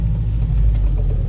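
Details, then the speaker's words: Saab 96 barn find, driving under load; deep steady rumble pulling evenly, no stumbles or misfires, accelerates cleanly without hesitation. "it has no hesitation it's really good"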